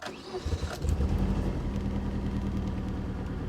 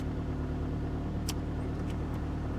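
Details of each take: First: 1992 Saturn SL2 on booster pack: cranks and fires right up, then a low, slightly uneven rumble, service engine soon light on immediately; rough running on cold start. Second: 1992 Saturn SL2, bought for $300 from auction, jump-started with a booster pack; fired right up, initially a little rough with the service engine soon light on, now revved and idling with a steady, even low hum, no misses or knocks; sounds healthy.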